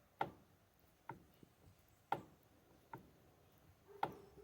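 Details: Mitsubishi L200 Triton steering column, no play, also heard while driving. Dry single knocks about once a second come as the wheel is worked; the owner suspects a bearing and plans to disassemble the column again.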